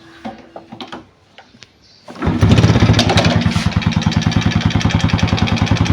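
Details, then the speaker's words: Engine started at 1 pm in hot sun with warm, thin oil (owner says morning start is noisier for much longer): fires after a few cranking clicks, settles into fast even idle with light mechanical clatter; normal warm start. "เป็นการสตาร์ทเครื่องตอน13:00นแดดร้อนอยู่แล้วน้ำมันมันเหลวแล้วแต่ถ้าเป็นตอนเช้าเสียงเครื่องยนต์นะครับมันจะดังยาวนานกว่านี้นี้เยอะนะครับ"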